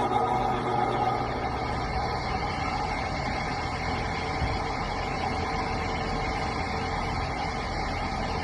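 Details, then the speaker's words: ILG Model 243 fan before bearing replacement: motor spins up with a rough crunchy growl over its hum from dry, loose original New Departure 88503/88504 bearings, plus shaft end play; start seemed slower. Fixed with new sealed bearings and spring washer. "the original bearings were really dry and had a crud kind of crunchy loose sound to them and it caused the motor to really growl a lot when it started"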